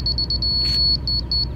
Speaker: so what it's gonna do it's gonna you're gonna have two different beeps actually three when it starts to beep fast you're high so you hear those really short quick